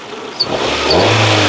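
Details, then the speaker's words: Rover 216i cabriolet, 1.6 Honda DOHC, after a cambelt change and cooling system check: the engine catches and settles into a smooth, even idle with no ticking or rattles, seemingly better than before; normal idle. "it fired up perfectly and it's running really nicely it's almost feels like it's running better than before"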